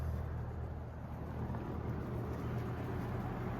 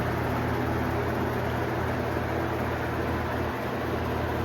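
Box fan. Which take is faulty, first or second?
second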